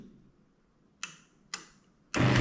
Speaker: You can hear uh the clicking of this relay and also motor jock.